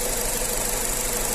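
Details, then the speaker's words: 2019 Nissan Terrano engine shaking at idle: uneven running, also audible at the exhaust; code DF061 reports a cylinder 3 misfire. "неравномерная работа на холостом ходу с выхлопной тоже слышно неравномерную работу есть она неровная работа"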